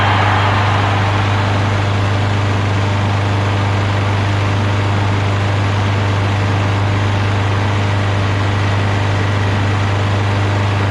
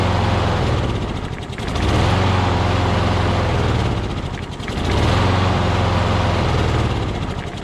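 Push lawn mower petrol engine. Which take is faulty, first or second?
second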